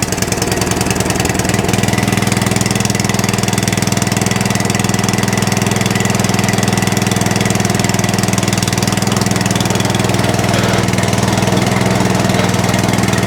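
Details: Atco Balmoral cylinder mower just started on choke, then set to rabbit, with no air filters fitted, idling: a fast, even chatter of about three beats a second. Belt chatter from slack belt and pulley tension.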